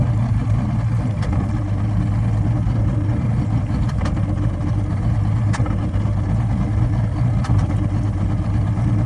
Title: Motor misfire after it stalled